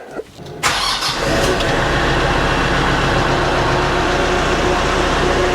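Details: Kioti RX7320 diesel tractor started right after an oil and filter change: fires within a second of cranking and settles into a steady, even idle with no knocks or misses; normal start.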